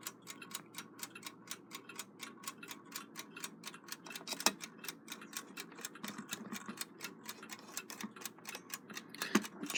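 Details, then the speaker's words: Rebuilt Westclox Big Ben Loud Alarm style 5A movement, just wound and cased up; crisp, even ticks about four a second with a steady beat and no stumbles, running well. "wound this thing you can hear it sticking very aggressively and that thing is on fire it's running real nice"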